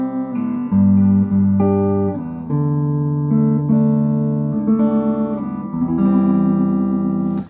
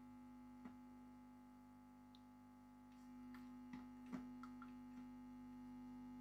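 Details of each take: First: Late-1960s East German Vermona MV3 tube guitar amp after restoration, guitar into channel one (EF86 stage), tone in middle: plucked chords full and clear, loud, no distortion, crackle or hum; clean amplifier output. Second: Late-1960s East German Vermona MV3 tube guitar amp after restoration, mains at 230 V AC (about 316 V B+), chassis open on a workbench, unshielded, after adjusting the rear pot: steady low buzz at one pitch with light handling clicks; mains hum.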